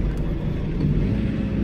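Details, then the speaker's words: John Deere 4066R compact tractor, hydrostatic, C range, load match deactivated, throttle raised and drive pedal pressed fully: deep labored diesel rumble sags with no speed rise, engine bogging down nearly stalling; load match is designed to prevent this. "You can hear how the engine bogged down, almost stalling out. Now, load match is designed to prevent that."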